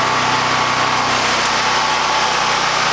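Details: Harbor Freight Predator 9000 W generator carrying about 3,500–4,000 W of house load, garage lights being added: steady, even drone holding constant speed with no surging or misses; running normally.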